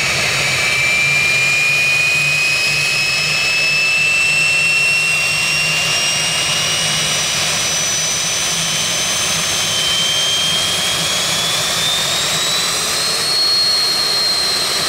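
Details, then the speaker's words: Jet truck turbine, first start after winter, after fuel pump work and cleaning a dirt-clogged fuel filter: steady high whine climbing smoothly as it spools over an even roar; runs better than ever, normal turbine run. "That looked pretty good to me. Actually, it's run better than it ever has, cleaning that fuel filter out."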